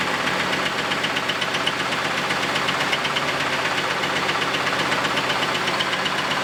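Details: Camaro, first start after exhaust repair: loud, fairly regular knocking about four per second over a rough, terrible-running idle; sounds loose, dead animal debris blown out; engine knock, cause unknown.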